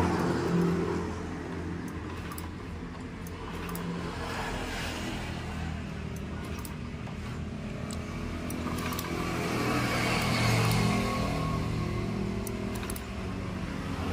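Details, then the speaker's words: Honda Beat ESP (K44) scooter after engine rebuild, battery and valve clearances fine. Electric starter gives only short stuttering "jijit" bursts and will not spin it up, though kickstart starts it: intake and exhaust rocker arms swapped, defeating decompression. "Jadi seperti begitu dipencet tombol starter dia hanya bunyi jijit jijit jijit. Nah itu seperti mau jalan, seperti tidak. Seperti mau jalan, seperti tidak."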